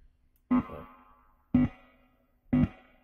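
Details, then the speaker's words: Fender Blues Junior III limited edition tube amp, made in Mexico, intermittent reverb fixed by tightening the RCA connectors; reverb knob about 6–7, three single notes each trailing a smooth, even echo tail, reverb now working consistently. "you can hear that echo effect now I'm gonna turn the reverb off so you can hear the difference this is dry going in dry reverb is now working and it's working consistently since tightening up these little RCA's"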